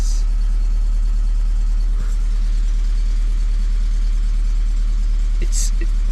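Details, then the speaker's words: 2001 Volvo S40 petrol, cheap non-runner just brought back to life: deep, loud chuffing idle with a rough beat, sounding diesel-like; exhaust far too loud, owner suspects a big hole in the exhaust, unconfirmed. "it's it sounds like it's got this big of a hole in the exhaust hmm but it's thought so that is a bonus I guess"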